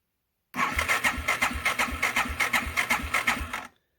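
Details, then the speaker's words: Yamaha TW200, choke on, recently ridden: starter turns the engine over with steady pulses, about three per second, for three seconds, but it never fires before the hard-start trick is applied; crank no start, cause not confirmed. "guys so wouldn't start right away so I'll do the trick here show you guys see how much better and how much quicker it fires up"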